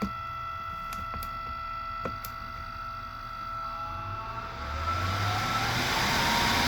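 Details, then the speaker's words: 12 V roof vent with two fans, powered from a battery and slowed by a rheostat/dimmer to low speed: a steady high-pitched whine that stops at higher speed. Motor whine at low speed. "When you get up on a higher speed, the whine stops, but on low speed, so you can see a fan jump whenever it gets some juice. But this one is making so much more noise that it's drowning that one out."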